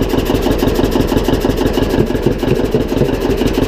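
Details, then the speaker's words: John Deere 720 two-cylinder diesel tractor running at about two beats a second, with a faint scraping hiss as the flywheel rubs slightly on its cover. "if you hear that noise the flywheel is scraping on here a little bit"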